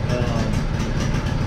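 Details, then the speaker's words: Old lawn mower on ethanol-free gas, first start of the season after winter with battery working again and choke on: uneven lumpy chugging with a stumbling beat just after cold start, sputtering and smoking on choke. "your sputtering and smoking over there let's go get that choke off of it"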